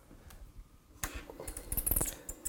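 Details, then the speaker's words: Minimoka CM1682 compact espresso machine with small boiler, steam wand on straight pivot: irregular spitting crackles and hiss as the heated wand first opens, purging stagnant water; normal steam flush. "Oui, forcément, il faut forcément faire un flush à chaque fois qu'on prend la buse, une fois qu'on l'a mis en chauffe. Ça va enlever tout ce qui est eau qui a stagné dans la buse pour pouvoir sortir le vapeur tout de s"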